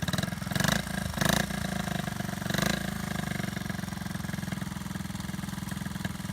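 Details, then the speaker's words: 1970 Honda Z50A mini bike after cosmetic restoration with new ignition and wiring harness, started with choke on: small single idles at an even, steady pulse with a clean low putter, no knocks or misses; healthy idle. "Choke on, key on, and gas on. It should start right up."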